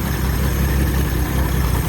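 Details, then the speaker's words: 1970 Ford Maverick V8, bought at auction, just got running, no brakes, testing whether the transmission goes into drive and reverse: steady low rough rumble with a raspy unmuffled edge under load; exhaust leak. "running carburetor is the exhaust thing doesn't sound good."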